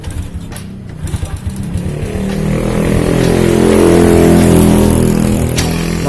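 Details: Honda Supra Fit motorcycle that stalls when hot and has a heavy kick: a rough, crunchy, uneven note that only keeps running with throttle held, swelling with revs. The valve cover shows a dry top, so the valve train appears oil-starved.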